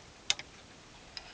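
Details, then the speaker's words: Transistorized short-circuit protection circuit with 12 V 30 A automotive relay and 24 V lamp load; when the lamp is shorted a sharp double click then fainter clicks as the relay drops out, cutting supply, normal trip. "and you can hear that relay switches off switches to power supply off"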